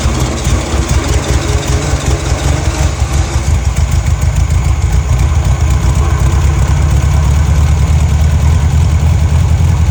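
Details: Abandoned, salt-corroded VW dune buggy (VW chassis and air-cooled VW engine) after cheap rebuild and oil change: deep, steady burble at idle, even firing, no knocks or misfires; engine okay, though front carburetor leaks at hose connection.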